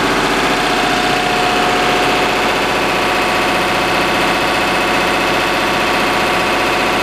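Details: Lister HR3 diesel generator of unknown make and output, powering a 100 amp house service, checked right at 60Hz by multimeter: even, steady beat with no hunting or labouring. Normal running under load.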